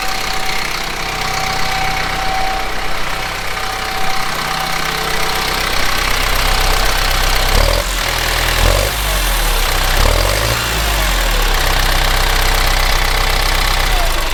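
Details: Kubota M15GX tractor diesel after an engine rebuild runs steadily with some revving midway; no misses, heavy knocks or chuffing blow-by; sounds healthy.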